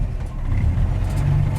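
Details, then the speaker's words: 1949 Chevy 3100 with a 1954 235 six bored .060 over (244), 264 3/4 race cam, twin Carter/Weber 32/32 carbs, dual exhaust, and Pertronix Flamethrower distributor with advance limiters added: a low, even rumble at about 600 rpm idle. A smooth idle. "see i don't know if you can hear it but that's such a smooth idol see down there around 600 on the mechanic"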